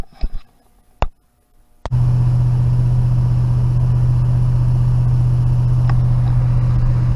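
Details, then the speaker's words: 1969 Firebird with newly fitted intake and Holley double-pumper carburetor, fuel pumped in: catches at once and settles into a steady, deep, even rumble with no stumble or misses; sounds much better; normal idle. "sounds so much better [Music]"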